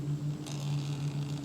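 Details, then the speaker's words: 1/10 RC crawler on a Furitek Python X sensorless brushless ESC at slow crawl: a steady low motor hum with a faint, uneven stutter. Slight motor chatter at low speed. "Oh man, I love this throttle control. Noticing a little chatter sound."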